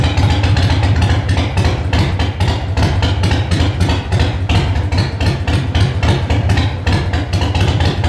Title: Sporty first start after Rebuild